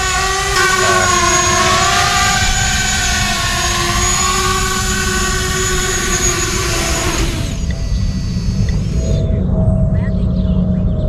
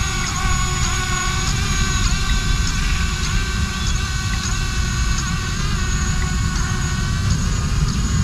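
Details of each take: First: 6-inch ArduCopter race quad in flight during autotune: high motor whine carrying a buzzy, shaking vibration that holds under throttle and fades as power comes off; frame resonance, addressed with the second harmonic notch filter. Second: ArduCopter 6-inch race quad running pitch autotune in wind, after the second harmonic notch was set: steady motor whine with small twitches about twice a second, no buzzing shake; the resonance seen last time is gone.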